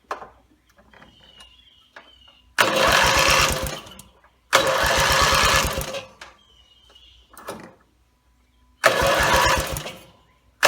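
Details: Rebuilt Briggs & Stratton mower (carb rebuilt and filling, timing dots aligned, valves seated, compression unknown) gives three couple-second chuffing pull-start bursts with quiet gaps and no catch; gas later leaked from the muffler bottom, and the owner suspects a fuel-delivery problem.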